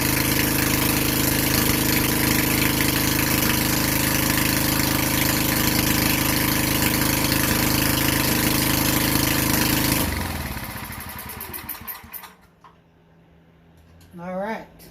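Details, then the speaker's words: Vintage Generac Niagara 2250 W generator, model 5621-0, Tecumseh 5hp single-cylinder, after replacing gas hose and air filter, first run on choke: steady, even running for ten seconds, then winds down to a stop; sounds healthy. "so she runs let's see if it's creating any power"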